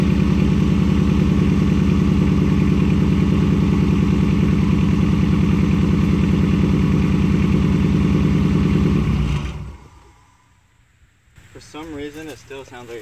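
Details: Nissan 240SX S13, KA24DE, after fixing a leaking injector: steady low idle thrum with a slight uneven beat before shutdown; owner suspects the injector still leaks and may replace O-rings.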